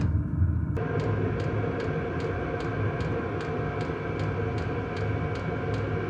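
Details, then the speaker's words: Cheap Chinese diesel heater just installed in a 2006 Nissan Frontier, first startup warm-up: steady low fan rumble with a soft fuel-pump tick about twice a second, burning evenly before the glow plug shuts off; normal. "a few pumps on starting to put out some heat as soon as the gold plug gets hot enough the glow plug will shut off and fan should speed"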